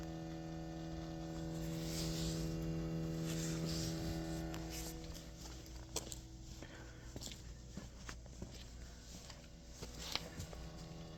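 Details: 2020 Toyota Corolla SE parked with the engine off, discovered 6 hours after last being turned off: a steady low electrical-sounding buzz from the driver's side rear.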